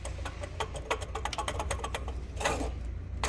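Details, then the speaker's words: Toyota Hilux 3.0 diesel with a loud noise at morning start: fast light clattering ticks over the engine rumble, traced to large play in the water pump bearing. Fixed by replacing the water pump, camshaft seal and accessory belt. "barulho que ela faz é uma bomba a bomba está com uma folga bem grande e E aí esse barulho que é bomba fácil"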